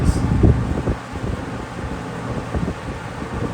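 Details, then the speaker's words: Mid-1980s Eastern Electric 20-inch box fan (rebadged Lasko) after a full motor rebuild, on high speed: steady rushing airflow with heavy wind buffeting on the mic, no knocks or rubbing; normal running. "In its glory."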